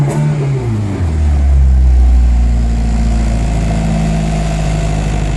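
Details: 1993 Honda Civic D15B7 (Y8) that stutters and stalls during normal driving, then won't restart. The starter cranks steadily at about four turns a second, but the engine never catches; cause unknown.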